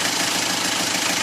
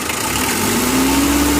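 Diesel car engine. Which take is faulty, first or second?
first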